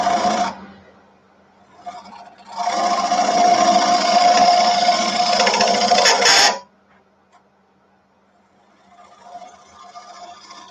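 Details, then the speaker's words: Wood lathe cut with a small teardrop scraper: a harsh buzzing chatter with a steady ring for about four seconds, caused by the tool overhanging the tool rest and bouncing. The fix is repositioning the rest. "hear that chatter means I've got since it's such a small bar on the tool it's overhanging the tool rest a little bit and you know little bounce to it"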